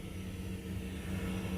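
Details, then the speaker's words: 2021 Mercedes Sprinter 144WB van: newly installed Espar heater sharing the factory engine warm booster's fuel line, first test run on the control unit; soft steady hum and even fan whirr, no knocks, blowing hot air, working normally. "All right, do you hear that? Our heater is working."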